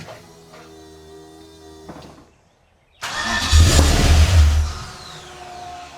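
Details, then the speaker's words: 1969 Chevrolet C-10 restomod V8 first start after new engine wiring harness and plugging in spark plug wires: starter spins, engine catches with deep rumble, revs briefly and runs about half a second before dying; first fire. "It ran. It did it. It did it."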